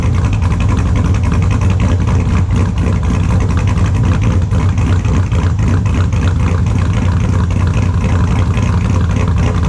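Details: 2002 Chevrolet Silverado with a built LS V8, super cold start after sitting since Friday, then idle: extremely loud, deep, lumpy idle with a steady choppy beat of about three to four pulses a second, all cylinders firing evenly; normal.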